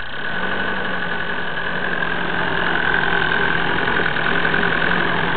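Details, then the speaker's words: Cold diesel engine just started after fuel filter change, smoking: steady thin high-pitched whine over the engine with a slightly uneven clacking beat; idle won't hold and revs won't exceed 1200 rpm, no leak, owner suspects the fuel pump. "D'ailleurs il fait un drôle de bruit, il claque ou... Il y a un bruit aigu là, genre."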